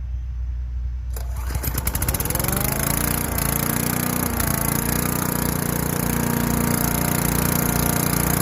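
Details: Craftsman Eager 1 4hp chipper vac (model 987.799790, auction flip) using its long suction hose, probably 10 feet or more, on wet, very large leaves in Michigan. Catches and settles into a steady, even drone with no knocks or misses. Seems to be working just fine.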